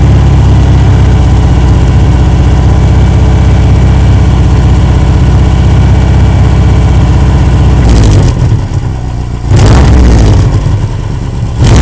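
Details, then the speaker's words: Loud, deep idle with rapid puffing chuff, then two revs: exhaust leak at a joint assembled with plain bolts instead of spring bolts, worsened by hitting snowbanks. "Yep, that's my exhaust leak right there. Pretty bad from hitting on those snowbanks there."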